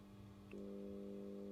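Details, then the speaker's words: Air conditioner indoor unit transformer on the bench, mains connected with no load: steady low electrical hum that persists after a lamp load is connected. Faulty transformer, to be replaced under warranty. "Смотрите, сейчас он подключён к сети и нет нагрузки, и он шумит."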